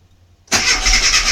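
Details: Mini MPI cranking: starter spins the engine over with a steady churn but it never catches or fires; crank-no-start, cause unknown.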